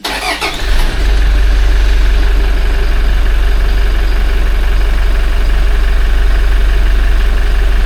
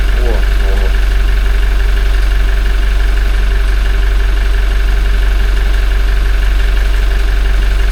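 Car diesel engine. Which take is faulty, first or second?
second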